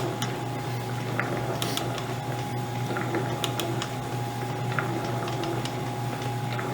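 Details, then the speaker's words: Lewis metal shaper with an ancient but quietly running motor: sharp, light clicks at a slow, uneven pace over the motor hum as the automatic cross feed ratchets about 4-5 thousandths per cycle; normal feed clicking. "Let's see if we can make it feed. Hear the clicking over."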